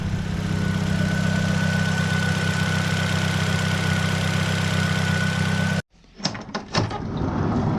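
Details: 2005 Nissan Sentra after new ignition coils, spark plugs and MAF sensor: a steady, even idle with no misfire stumble. The loud, throaty exhaust is from a muffler still to be fixed. Normal idle.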